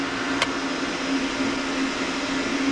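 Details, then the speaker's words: Oil boiler burner blower motor plugged in fails to start, giving a steady low electrical hum and one click with no fan spin-up. The seized motor needs replacing, and the burner control trips out. "i'm gonna plug it in there the motor does not start it's just humming right now"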